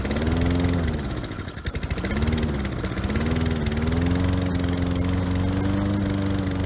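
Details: Roadside-free Toro Recycler mower, model 20016, with good compression but a carburetor flooding over: the engine catches, its pitch sagging and recovering a few times before settling into a steady drone, with unsteady fuel delivery, likely from the flooding carb.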